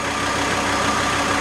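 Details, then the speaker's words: VW T4 AAB diesel van, about 250 km after rebuild, warm idle about 775 rpm with driving lights and fan on: steady even idle with faint whine; normal idle under electrical load. "And reading is now 775, so it drops a bit, but as far we are over 700 with the full load, it runs quite okay."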